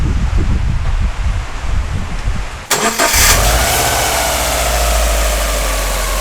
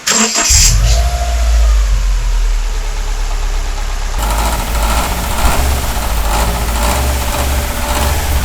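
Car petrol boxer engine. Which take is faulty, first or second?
second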